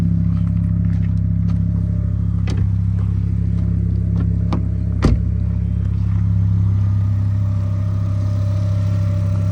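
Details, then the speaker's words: 2005 Volvo S40 T5 at idle on a freshly fitted used alternator, first run during revival: steady low idle with a faint constant-pitch whine and light clicks; owner says the alternator is howling, smoke seen near it, top alternator bolt not installed. "the alternator is howling a little bit. I don't like that."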